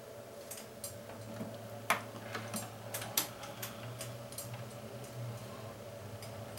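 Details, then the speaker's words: Classic Keurig K60/K65 that wouldn't pump, plugged in with reservoir full: quiet irregular ticks and pops over a low steady hum, the boiler heating water; normal boiler heating. "all right that sound we hear is a boiler here there's reservoir full of water must be because i didn't just fill it and it certainly sounds like boiling water"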